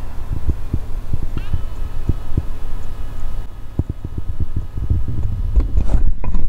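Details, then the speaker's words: Hard drive in an Early 2008 2.6GHz MacBook Pro 15-inch on an adapter: dull ticks about three a second with faint brief whir, never reaching speed then spinning down; owner suspects insufficient power from the interface, cable or drive. "you can hear it's just trying to start up but doesn't ever really get spinning up enough to run"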